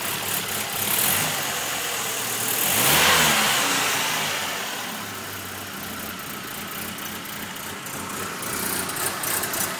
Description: Changed all the spark plugs and wires, cleaned the egr valve, it only misfires at idle, very weird anybody know what's happening?